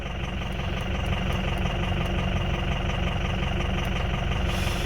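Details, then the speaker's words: 2004 Ford F-350 6.0 Powerstroke diesel with a low-power complaint: a heavy, uneven, loping idle like an old tractor. Cylinders 1, 4, 6 and 7 show negative contribution, so it runs on four cylinders from a failed fuel injection control module. "you can hear when it starts there it's clearly got a goodness to it it sounds like an old tractor"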